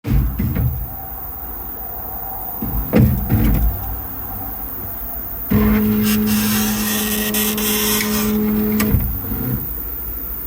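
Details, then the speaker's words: Creality K1 Max 3D printer Z-axis stepper motor after a new board installation: steady low hum breaking into a loud, rough, stuttering grind; the noise comes entirely from the motor, persisting even with the belts removed. "sound is coming entirely from his motor. Even if I take the belts off, it still makes that sound."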